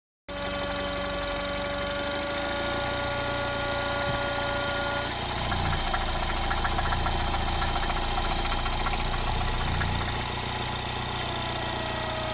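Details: Mini Cooper S R56 at steady idle: faint, fairly regular light ticking over the hum, roughly three or four a second; owner finds the engine noise strange, cause not identified.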